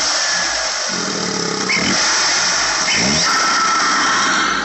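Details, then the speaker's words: Engine with ECS Tuning Luft-Technik intake, belt already changed: thin high squeal over loud airy rush near the intake; owner suspects air rushing because the factory airbox is missing, unconfirmed. "all right so I changed the belt and the noise is still there and I notice it's coming from this intake"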